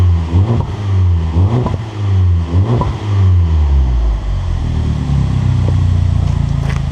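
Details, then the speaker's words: Abarth Punto Evo near operating temperature, in normal drive mode (sport mode also available), loud exhaust without pops: three quick clean revs rising and falling, settling smoothly with no knocks or rattles; healthy revving. "Now this car's pretty loud, you can hear it, but it doesn't have pop and bang. I'll just give you a quick demonstration. So first of all, it'll be normal mode."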